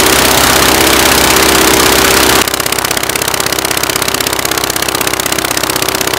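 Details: Praga B2 aero engine, last run 1939, rebuilt and test-mounted on a Vauxhall, ignition being advanced: loud steady even beat about four pulses a second, no misses or knocks; running cleanly, normal running.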